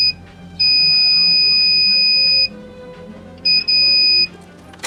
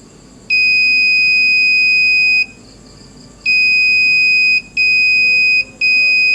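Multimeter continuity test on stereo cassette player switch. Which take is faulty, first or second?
first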